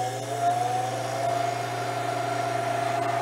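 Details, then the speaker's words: Royal Vendors vending machine that wasn't cooling (temperature sensor found bad): compressor kicks back in above the 41°F cut-in point, running with a steady low hum and faint even whine, no knocks or rattles; normal running, temperature should now drop. "now the compressor is going to start cooling you'll start to see this temperature drop and you'll feel it get cold and everything"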